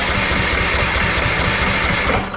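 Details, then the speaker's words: Old Troy-Bilt Bronco riding mower that had sat for a long time, with a new battery: a steady rapid chugging of the starter with no firing; it cranks but won't start. Fuel reaches the carburetor, and no spark is suspected. "My dad put a battery in it, but it won't start up. It'll just crank, and nothing."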